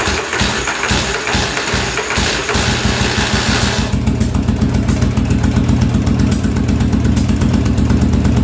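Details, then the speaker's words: 1983 Yamaha Virago 920 barn find, first start after float height fix: cranks then catches into an uneven, lumpy idle with irregular pulses; owner thinks it ran on one cylinder, unconfirmed. "oh hey first start I don't know how good that was sound like we were on one cylinder there"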